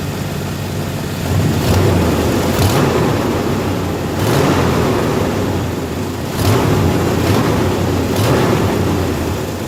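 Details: 1990 Chevrolet K1500 truck, 350 5.7L V8, automatic transmission, running with a low rumble and sharp puffing bursts from an exhaust leak, before repair.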